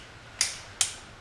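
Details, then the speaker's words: BMW E46 330i spark plug change, torque wrench set to 264 inch-pounds (22 ft-lb): two sharp metallic clicks about half a second apart in a quiet room. The wrench releases cleanly at the correct spark plug torque, which is normal. "That's the big click right there. That means I'm at the correct torque for that spark plug."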